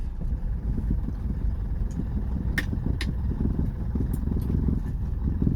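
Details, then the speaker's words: 1968 Lancia Fulvia Series 1, first drive after six years off the road: low, uneven engine rumble pulling away at walking pace with a slightly unsteady beat; engine runs a bit shaky, cause not identified. "a bit shaky well here we go about to get above walking pace"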